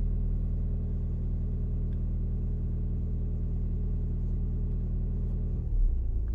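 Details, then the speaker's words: Audi S-Tronic DL501 (0B5) gearbox adaptation with VCDS, engine on during clutch valve calibration: idle raised about 200 rpm to roughly 1,200, steady even hum without knocks, revs settling near the end; normal. "the car will rev up as you can hear probably it revs up about 200 RPMs more mine stays at about one thousand two hundred RPMs a little a little less"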